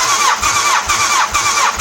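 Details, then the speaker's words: 1989 Honda CBR1000F, abandoned over 10 years, cranking for compression test with carbs off; steady starter whir with even pulses, cylinders read about 150–160 PSI, engine healthy on compression despite oil on cylinder 2 plug. "Again, 160 PSI, which says to me that that engine is in good health with regards to compression."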